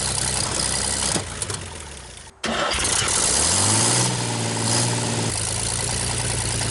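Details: 1960 GMC 305 cubic-inch V6, first start after sitting, crushed exhaust pipe: cranks, catches, settles into steady even idle with no misses or knocks and no smoke; healthy start.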